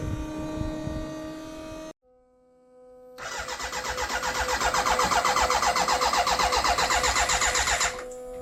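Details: BMW K100 café racer build, fuel injected, ignition on and fuel pump running: the starter spins it at about four even pulses a second and it never catches. Fuel can be smelled. No spark because the kill-switch supply, pin 10 on the ignition unit, was unconnected.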